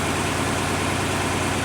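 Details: Dodge Charger R/T after replacing both fuel pumps (one each side under the back seat), first start: smooth, even low rumble with a steady beat and no misses or knocks; normal clean idle.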